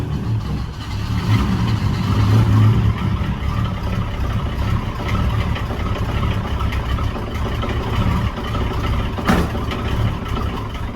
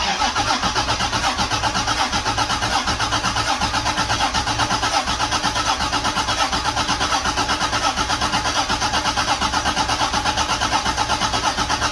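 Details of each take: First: Toyota 7M-GTE on first start after final assembly, with good oil pressure: very low, lumpy idle around 400 rpm, uneven and sagging, close to stalling; throttle position sensor was bumped while fitting the intake manifold and needs recalibrating. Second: Rebuilt Toyota 7M-GTE engine with an electric water pump starts after final assembly and settles into a steady, even idle with plenty of oil pressure. The TPS was bumped during assembly and needs recalibration.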